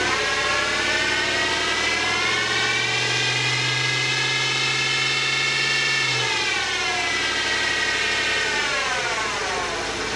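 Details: GMT800 Chevy Tahoe on jacks, running in drive: steady whirring whine from rear end shifting pitch with speed, low drone mid-clip; diff fluid looked free of metal; pinion or wheel bearing suspected.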